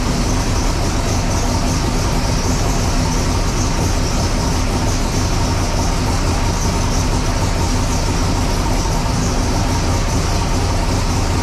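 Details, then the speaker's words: Sick Seconds 1.0 copper Camaro drag car, first fire-up after being freshened up and reassembled: loud, deep, steady rumble with even beat, no knocks or misses; normal idle. "1.0 in this video, obviously getting it on and off the hoist, but also first fire up of it, got it back together, everything was freshened up."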